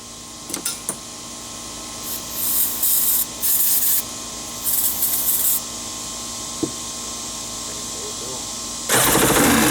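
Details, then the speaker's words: Wave Raider two-stroke jet ski, project no-start, runs on starting fluid: catches and runs in ragged, uneven surging bursts but won't hold idle; owner was told it runs at full throttle but won't idle. Rough idle. "i thought they told me that i could literally hold it full throttle and run but then it wouldn't like idle"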